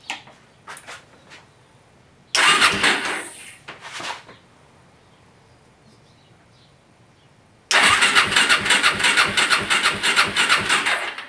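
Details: Suzuki LT-R 450 quad cranking on a swapped spark plug, very weak intermittent spark, fast starter whirring that never fires; rusted coil grounding post found afterward; CDI later judged faulty and replaced.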